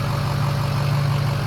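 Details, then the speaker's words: Diesel truck idling with a low, steady, even rumble, no stumbles or knocks, after restart once a forgotten unplugged plug was reconnected and fuel pumping restored; injectors seem okay after brief fuel starvation; normal idle. "Sound like the injectors were okay with that little bit of starving that I just subjected it to. It sounds good."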